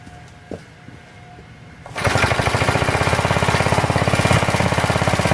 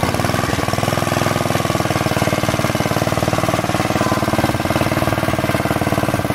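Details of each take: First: Planet Jr. Model B walk-behind tractor, first start after drying out the gas tank of old gas, refitting the carburetor, adding crankcase oil, belt off: single cylinder catches and chugs slightly unevenly. No smoke; idle unsteady, needs carburetor adjustment. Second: Planet Jr. Model B walk-behind tractor with air cleaner and elbow refitted, driven up the hill: fast, even single-cylinder thumping with no misses or knocks, then a clean shut-off. Normal running.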